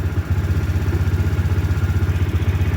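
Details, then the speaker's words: Daelim Q3 250 scooter that would not start after an hour parked as the temperature dropped. It started hard after a hot-water pack sat on the battery about 10 minutes and a jump starter was used. Now a steady, even putter with no misses, running normally. "근데 만 바로 시동이 안 걸리고 조금 어 침이 약간 부족한 것처럼 그러더니만 아 겨우 걸렸습니다"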